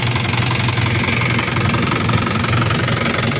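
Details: Isuzu Panther turbo diesel pickup after restoration, injection pump timing reset from too far advanced back to standard: even diesel idle with a steady, regular clatter and no harsh knock; runs smoothly.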